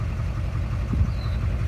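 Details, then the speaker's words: 2006 GMC Duramax LBZ diesel at idle after bad fuel, with the suspect injector unplugged as a temporary fix: a deep, even rumble with the earlier knocking and black smoke gone; a toasted injector was later confirmed and replaced. "but you got an injector unplugged so going and we got rid of all the smoke so now go to the [Music] mechanic"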